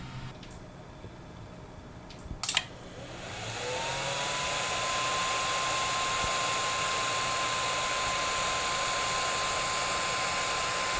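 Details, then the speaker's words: FlashForge Creator Pro 3D printer at idle: loud steady fan whir with a high tone near 1 kHz from the stock internal 40mm fan; owner plans a Noctua fan replacement. "As you probably heard in the first clip, it can get a little loud. And that's just at idle."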